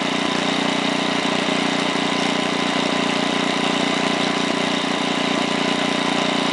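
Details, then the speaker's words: 1968 Briggs & Stratton 7 hp 275cc horizontal engine, model 170402, at 3/4 throttle with no load: smooth steady drone with an even firing beat, no hunting or misses; normal running. "so I'm gonna start it up one more time it's at 3/4 now"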